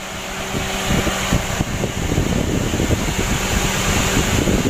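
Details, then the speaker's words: Daihatsu Gran Max 1.3 engine after reassembly, warm with temperature near half: even radiator fan whoosh with light rapid ticking as the fan cycles on and spins normally. "ditengah teman-teman untuk suara espanya atau kipas radiatornya lah ke khote ini berarti sudah normal bagus"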